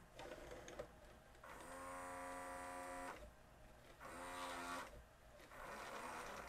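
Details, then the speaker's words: Mitsubishi HS-U58 VHS VCR, refusing a tape: loading motor whirs in strained start-stop bursts without pulling the tape in; both mechanism belts have melted. "oh that doesn't sound good take a listen to this maybe just needs a loading belt"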